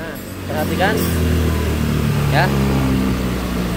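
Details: Honda Vario 110 carburetted scooter after an engine rebuild forced by a late oil change, which had made it hard to start with no idle. Revs up cleanly in blips and settles smoothly; it now starts first kick and idles, with no breather smoke.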